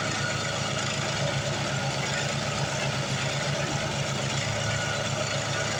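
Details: Craftsman 826 track-drive snowblower after replacing the broken auger belt with a 31-inch belt and greasing the front: steady, even engine drone with a churning low rumble while throwing snow, no slipping squeal or knock. Normal running under load.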